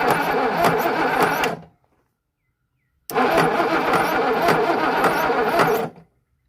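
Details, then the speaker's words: Boat engine for a 1967 Mustang fastback build, too stiff to turn by ratchet: two cranking bursts about a second and a half each, an uneven knock on the starter churn; suspected connecting rod or piston, possibly from the back, not confirmed. "it sounds very very bad I mean it sounds like it's the G Rod hanging outside of it boys"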